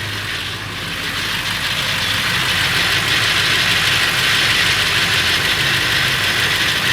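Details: Late 1999 Ford F350, 7.3L Powerstroke diesel at idle: even metallic rattle about three per second over the clatter, more pronounced under the truck; owner suspects flexplate or engine, unconfirmed.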